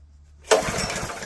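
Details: Junkyard Honda GX160 small single-cylinder engine, pulled on choke with fuel on: sharp pulls spin it over with a few uneven chuffs but it never catches. Suspected carburetor problem.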